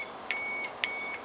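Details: Ignition key switch reinstalled, start wire tightened, key held in ON while a multimeter probes terminals for a fault where the engine cranks in ON: two short high continuity beeps; power present at the tested terminal.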